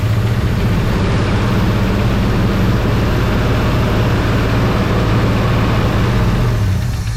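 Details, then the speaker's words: 1966 Ford Fairlane 390 FE V8, first run in about 22 years, idle raised: low, heavy, uneven lumpy beat; rough running, with water in the carburetor and the engine not yet tuned; it ran 15 seconds on carburetor fuel. "She's rocking a little bit. I mean, that just, once again, that just could be getting everything tuned out, because the carburetor itself, I mean, she's got water in it."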